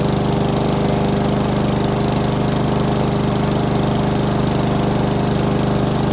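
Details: Honda lawn mower after the stretched throttle cable was adjusted so the choke works again: steady, even drone at constant speed with no misfires, surging or knocking. The engine is running normally.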